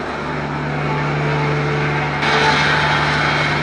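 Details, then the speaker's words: 1965 Plymouth Savoy slant-six automatic, revived after 19 years, recorded at the tailpipe while warming up to burn off oil. Smooth, even hum with a steady low tone, no misses or knocks; no more shaking after repair, running nicely. "Oh wow. We'll just let it come up to temperature and burn off some of the oil and stuff in there. Listen to it back here. This thing is just singing."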